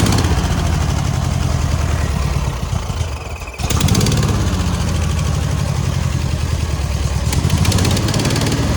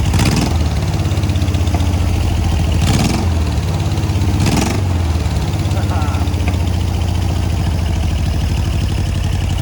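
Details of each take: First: Air-cooled VW 1600 dual-port flat-four in a sand rail, idling after exhaust-leak repair work (alternator not charging): a steady, even low chug with one brief dip before it settles. Cranked right up; normal idle. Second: Air-cooled VW 1600 dual-port flat-four in a sand rail, during an oil leak search: a steady low idle rumble with a light, quick valve tapping riding over it. It sounds better than before.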